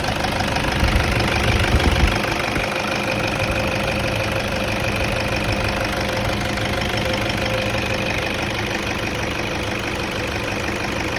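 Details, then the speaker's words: Toyota Vigo diesel started right after timing belt replacement: even, steady idle with usual light clatter, no knock or rattle; engine runs normally. "เราจะมาลองสตาร์ทดูนะครับแปะเครื่องดูก่อนนะครับว่าเครื่องมีอาการเขตหรือเปล่าครับเงียบเลยมีเสียงนี้ก็คือโอเคนะ"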